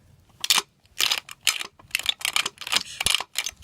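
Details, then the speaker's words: 2005 Chevy Silverado 2500 front driveshaft, removed and turned by hand: irregular bursts of sharp dry clicks and snaps about two a second; heavily rusted U-joint with completely dry caps, to be replaced. "so as you can see this is really rusted really really rusted the u-joint caps are completely dry and it's also making this noise"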